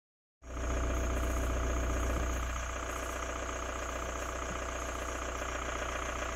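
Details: 2002 VW Jetta TDI diesel idling in Park with AC off: steady low rumble with a faint, fairly regular knock about three to four times a second; cause unclear.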